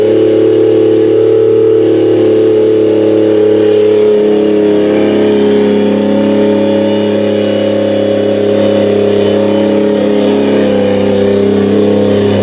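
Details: Toyota 1JZ engine for a 350z swap, running on a tire in a cherry picker after first start on a new ECU; steady, even drone at fast idle, smooth firing with no knocks, ticks or misses; normal running.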